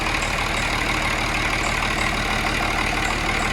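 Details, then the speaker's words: Cummins 6.7 turbo diesel test engine idling around 736 rpm on HythanolPLUS fuel, first-stage fuel test, "not even a burp": even, settled diesel idle with a steady clatter and no stumbles or misfires; running smooth. "and it is running smooth this is amazing not even a burp"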